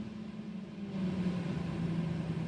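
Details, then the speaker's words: Renault 9 Broadway heater blower fan motor after servicing, switched through speeds 1 to 3: low, steady hum stepping up in speed with no rattling or grinding; before the service it was noisy, now runs smoothly. "Eskiden böyle e abimin dediği gibi abi motordan daha çok ses geliyordu Yani bunun sesini bir keselim diyordu yani şimdi artık yağ gibi çalışıyor arkadaşlar"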